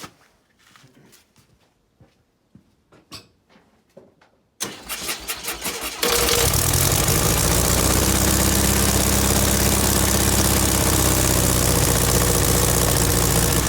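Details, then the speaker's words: VW Beetle air-cooled flat-four after the smoking alternator was repaired with electrical tape: shop clatter, then the engine catches and settles into a steady, even idle with no misses and no smoke; the belt is noticeably loose. "Well, smells exhaust, that's good. No smokies, so that's good also."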